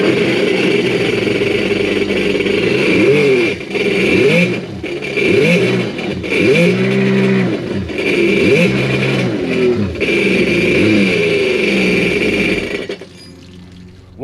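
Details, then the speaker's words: Sea-Doo Fish Pro Trophy after a rock was removed from the impeller, jet pump fed by a water hose: short rev blips climb and fall quickly over a harsh metallic rattle; it idles but has little throttle, cause unknown. "Well, you can hear in the video that there's still something wrong with it. It rattles real bad and it's got a not very much throttle to it. It'll idle, but that's about it."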